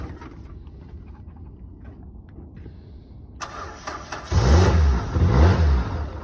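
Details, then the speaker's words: 2013 Nissan Versa at auction, started with a jump box: cranks and catches at once, brief rise in engine speed, then settles to a low, even, quiet idle; normal start and idle. "Has a jump box hooked up to it. Started right up with a jump."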